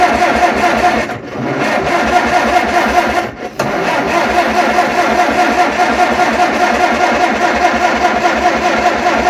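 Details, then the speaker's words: Tractor cranking without starting in about 40° weather; water found in the exhaust despite the stack, carburetor dumping gasoline, owner believes it is badly flooded; steady starter churning with pauses, never catches: cranking no-start. "carburetor dumping gasoline everywhere all right so it's probably flooded big time now shut our fuel off open our choke up try it again"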